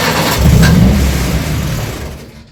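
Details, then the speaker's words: Junior Micra stock car engine, first start after engine refit with new fuel pipe clips and throttle return springs: heavy low rumble swells then dies away without settling; flooding and won't start, cause unknown, eventually started. "so for some reason the are it's flooding come [Applause] no good okay it's quite successful eventually no idea why it's flooding to start with"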